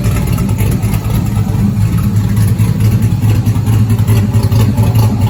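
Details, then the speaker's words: 1971 Chevelle body on stock car chassis with 5.3 LS swap, Holley Terminator, Sloppy cam, LS7 lifters, PAC 1219 springs, first start in 30 years: deep loud V8 idle with choppy cam lope, steady and even; engine sounds healthy. "i'm very excited to hear it run and engine sounds healthy i think"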